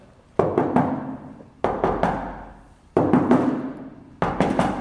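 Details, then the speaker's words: Knuckle knock test on a Triumph Spitfire hood/bonnet front crash area where a magnet won't hold: bursts of raps, some dull and deadened rather than ringing; suspected bondo filler under the paint, not yet confirmed. "You can hear a difference when you knock on it with your knuckles. You can definitely hear the tone difference. So I'm betting we've got a pretty good chunk of bondo right here."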